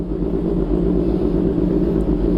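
Steady, even low rumble with no stumbles or knocks; the engine runs smoothly and sounds healthy.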